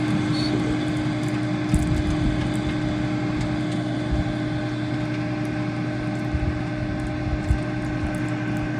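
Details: New Mosquito Magnet trap bought a week ago, running outdoors at 19 degrees. Steady, unbroken mid-pitched hum with no rattle or wobble: the fan is operating normally.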